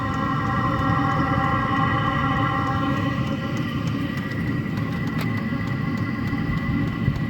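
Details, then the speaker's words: Vevor air heater, first run, just lit and getting hot with some smoke coming off as recommended burn-in of several hours: steady roaring burn with even hum and fan whirr; running normally. "see some smoke coming off the it's getting hot but they recommend you just burn them like this for uh you know four five 6 hours"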